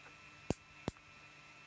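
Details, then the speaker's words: 1958 Perdio radio, close-up at the on-off switch contacts during repair of the set going dead: three crisp clean clicks as the lever snaps over; healthy switch action, normal click. "You see the little lever moving? Probably not, but you can certainly hear it now. It's a lovely clicking action."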